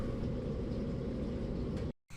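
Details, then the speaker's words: Gas dryer (Cabrio) after replacing the blown thermal fuse: igniter glows, burner fires, and the drum tumbles with an even, steady rumble, no squeal, scrape or thump; normal operation restored. "here you can see the globe plug or the igniter glowing and we didn't have that before and there it fired up"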